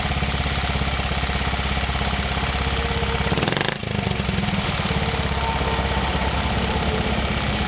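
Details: Z50 small single-cylinder engine starting on the first kick: quick, even exhaust beat with a brief blip midway and no knocks, rattles or weird noises. No leaks; healthy.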